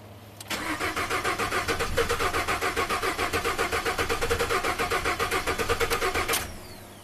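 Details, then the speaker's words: Ford F150 EcoBoost at 220k miles, crank no-start: six seconds of steady cranking, nearly four beats a second, trying but never catching; low-side pressure holds but rail pressure won't build, high pressure fuel pump diagnosed faulty, oil smells of fuel. "And you can hear the engine is trying to start, and then it's just not enough to keep going. And this pressure on the low side never drops. So in this case, I'm calling this high pressure pump,"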